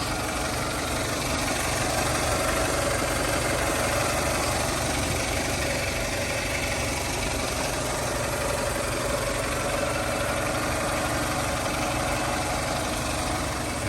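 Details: 2000 Toyota Camry LE, 173,000 miles, fresh Aisin timing belt, new radiator and hoses: smooth, even four-cylinder idle with soft steady hum, no ticking, knocking or belt squeal; healthy.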